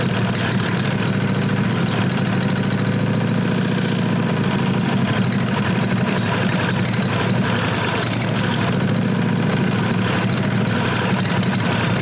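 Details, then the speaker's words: 1998 Briggs & Stratton Vanguard 16HP horizontal-shaft V-twin, after freeing a solenoid plunger gummed with old gas. Steady starter cranking with no firing, so it won't start because the pump isn't delivering fuel. Blowing through the tank hose then cleared a suspected gum blockage, and the pump began pumping. "Still don't want to take off. Alright, so what I ended up doing, I took the hose out of the tank and blew through it and forced the gas through it."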